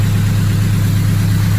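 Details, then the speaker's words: Freshly rebuilt turbocharged K-series engine, hot after running 15 minutes: smooth, steady low hum at idle with no ticks, knocks or hunting. No check engine lights, no overheating, cooling system bled; sounds healthy. "Yeah, everything seems, there's no check engine lights, there's no funny noises, there's no overheating."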